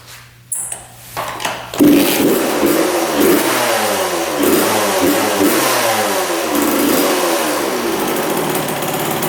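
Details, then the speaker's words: 1999 Suzuki RM80 two-stroke dirt bike after about an hour of repeated starts and idling post-repair: kick-starts right up in a few kicks, crisp ring revving out cleanly; fixed, blamed on bad spark plug and possibly poor coil wire contact at the boot. "consistently fires right up sounds really good revs out all the way so I think she's fix"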